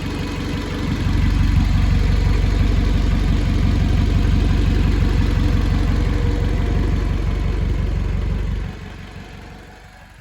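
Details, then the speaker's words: Toyota MR2 with what is believed to be the stock 1ZZ engine, about 115k miles, no muffler fitted: loud raw exhaust rasp with a steady even idle, no ticks or knocks, not overheating; normal idle, just unmuffled. "the reason why it's kind of loud right now is cuz it doesn't have a muffler uh but see if you can hear it everything sounds pretty good good"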